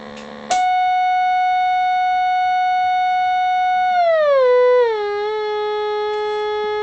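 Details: Pye TRS-2000 AM/FM radio on AM with low-frequency modulated signal, AGC bypass capacitor removed: harsh buzzy test tone sliding lower, badly distorted bass; fix is a 22 µF capacitor replacing the original 10 µF.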